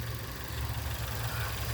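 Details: 2001 Nissan Altima, 139,000 miles, after a crank-no-start was fixed by replacing the crankshaft position sensor and distributor with junkyard parts: a low, steady, quiet idle with no stumble or miss. Normal idle.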